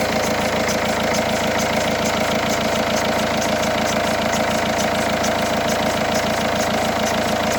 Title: Peugeot 308 sw 1.6 hdi. Strange sound, belts? Bearing? Got it only when engine is cold.